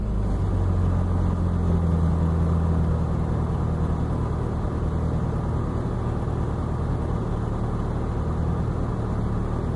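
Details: Subaru at cold idle: deep, lumpy rumble with an uneven low pulse and no clean steady beat; exhaust leak with rough cold-start running.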